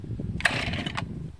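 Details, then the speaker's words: 2020 Stihl MS261 chainsaw, non-M-Tronic carburetor, 20-inch bar, fully cold start at 29°F after days in a truck, on choke: short half-second popping burst as it catches, then dies; normal first fire. "that's not bad for 29 degree cold start i just love everything about this saw"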